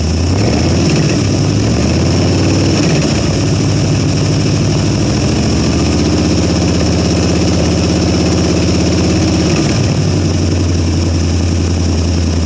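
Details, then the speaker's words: 1973 Ford Gran Torino Sport, 351 Cleveland, off the road for 30 years, running on a carb fed by pouring fuel: a loud, even exhaust rumble that revs smoothly and returns to a steady idle, with no lifter clicking. The oil light goes out; the alternator isn't charging. "Well, the engine don't sound too bad right now. Hard to hear with all the exhaust noise, but oil light goes out, stays out."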